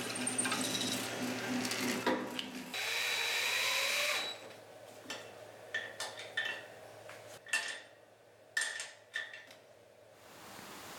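Smooth motor hum, then even cutting noise as the bit feeds through the stock, no knocking or rattle; drill press runs sound.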